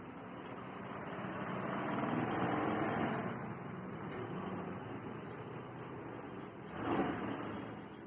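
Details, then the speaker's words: Hero Duet scooter after repair of an excessive engine noise, with body panels refitted: quiet, even idle hum with no knocking or rattle; the engine now sounds healthy. "तो engine का sound तो बहुत बढ़िया हो चुका है आप लोगों शायद मोबाइल में ना सुनाई दे रहा है बट यहां पर बहुत बढ़िया आवाज ऐसे हमारी होनी चाहिए"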